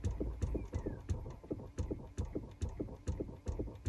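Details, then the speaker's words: Chrysler Pacifica with engine off: rapid hollow clicking and flapping inside the dash, about three a second, from a faulty, sporadically acting recirculation door actuator motor behind the cabin air filter area; replacement recommended. "And again, ours is faulty and acting sporadically, and up here there is a flap that's constantly flapping like that. You can hear it now."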